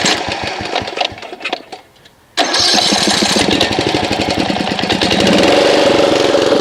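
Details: Snapper RER Comet mower that sat about a year on fuel, plug and air filter checked OK, choke off, after adding Mechanic in a Bottle: a few failed cranks, then lumpy, uneven running; rough running, cause suspected, not confirmed.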